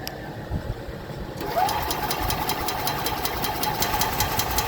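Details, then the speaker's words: 2021 EZGO Express L4 EFI gas cart cranks steadily at two to three turns a second but never starts; no spark, no fuel, fuses good, no 12 V reaching coil or injector despite new ECU, throttle body, coil and plug; cause not confirmed. "No spark. No fuel. Of course, you need 12 volt to get fuel."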